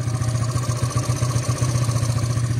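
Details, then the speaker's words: LCV8 motorcycle at 2,023 km after an 8-day endurance ride, started after sitting long: rough, clattery, uneven idle with loud low rumble, black exhaust and smoke; owner finds it unpleasant, cause unknown, plans to send it for a check-up. "Saya dengar bunyi memang sakit kepala. Dengan makamnya hitam dia, dengan keluar asapnya kan."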